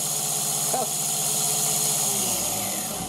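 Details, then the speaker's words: MAXNC mini mill spindle with a 3D-printed pulley and XL timing belt, cutting a heavier pass: loud, harsh high-pitched screech held steady over the spindle hum; the cutter chatters because the cut is too aggressive. "my goodness did that sound cringy and I was so loud but we did fifty thousand effin Utley tell the surface finish is well and it is what it is I suppose"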